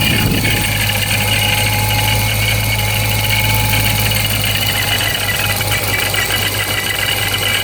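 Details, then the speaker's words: Procharged Dodge Scat Pack, warm 81°F day: steady idle with constant high-pitched supercharger whine; owner unsure if normal, possibly gears breaking in, taking it to shop for inspection. "So it still sounds about the same. I'm not really sure what's going on with it. Some people say it's normal, some people say it's not."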